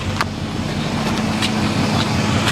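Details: 1976 Ford Econoline E150 after a crank/no-start caused by suspected rust-restricted fuel tank, line and sending unit, running on a temporary fuel supply; steady low idle rumble with an even beat, no misses or stumbles, normal idle.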